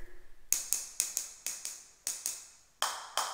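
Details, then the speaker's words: Taps on newly laid floor tiles: sharp, bright and solid like concrete where thinset has bonded overnight; the last few ring fuller and duller where thinset is not yet dry. "Ooh, but those right there are not dry yet. But you can do that on a tile floor."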